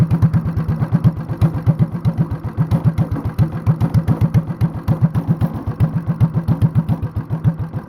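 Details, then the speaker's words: Honda clone single with stage 1 kit, header, 10-pound cast iron flywheel and cam work, light load, idled very low: deep evenly spaced thumps three or four a second, heavy flywheel carrying it; sounds like a hit-and-miss engine, running fine. "Sounds like a hit and miss engine now. This is how, boys and girls, this is how you build a hit and miss engine at home with a Honda clone."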